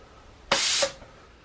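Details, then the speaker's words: Home-built Arduino-controlled minimum quantity lubrication pump for CNC mill, manual mode: clean bursts of air hiss as the air control solenoid cycles about twice a second, regulator dipping slightly when the air supply comes on; working properly. "You can see and hear that the air control solenoid is actually switching on and off about twice a second, and you can see that the pressure regulator does drop a little bit whenever we turn on the compressed air supply, but that seems to be working."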